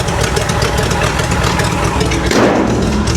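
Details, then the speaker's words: 1970 International D1000 pickup, abandoned over 20 years, just started cold, charging 14 volts: uneven, lumpy, unsteady low idle; expected to clean up once warm, cause unconfirmed. "Give her a minute to warm up. That idle should clean up a little bit."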